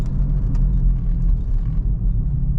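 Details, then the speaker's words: 2014 GMC Terrain driving at about 40 mph: deep steady growl under road rumble, worse when turning and groaning more as it slows; likely a worn wheel bearing. "kind of hear it growing around I don't know probably 40 miles an hour so can already hear it there I can anyway especially when you're turning you kind of load one side of that bearing"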